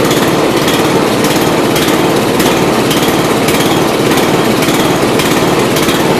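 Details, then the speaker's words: 1992 Yard King lawn tractor, cold and just restarted on choke after about 7 years of storage, running a little rough with an uneven, slightly lumpy beat at steady speed. "this is very cool yeah she's gonna run a little rough but"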